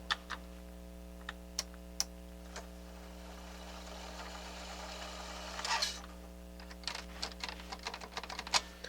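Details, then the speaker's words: Pioneer CT-8R cassette deck: sharp irregular clicks and a brief whirring burst over a steady hum from a faulty tape transport mechanism drawing excess power (about 21 W idle, 30–32 W in play). "yeah we definitely got a problem with the mechanism itself so i was right this is a power hog"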